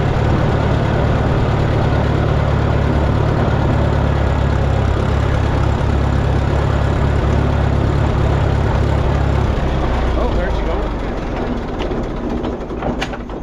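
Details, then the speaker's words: Minneapolis Moline GTB tractor: deep, steady idle holds, then the low thump drops out around nine seconds and the engine winds down to a stall; owner suspects a fuel issue, not confirmed. "Yep. Got a fuel issue."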